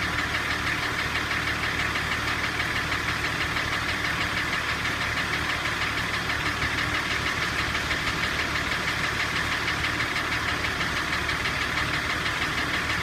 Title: Стук двигателя м 51